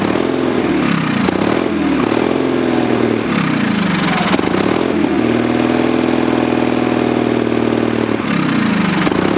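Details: Early-1980s Sears Craftsman FF20 tractor single-cylinder engine after carburetor cleaning, chugging steadily on its own on part choke with slight speed hunting; normal running.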